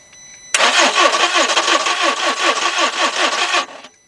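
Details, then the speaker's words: Volkswagen Beetle cranks steadily at a quick even rate for about three seconds without firing, with a pressure gauge fitted. The fuel pump never comes on because it gets no power; the pump itself is not necessarily faulty. "nothing all right guys so our fuel pump is not coming on it doesn't necessarily mean we have a bad fuel pump it's just that it ain't working ain't get power to anything"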